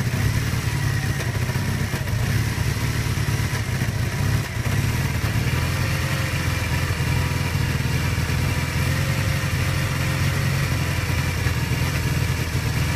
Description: kawasaki kz440B 1981, 7k miles, rough idle. Choke is set about half-way.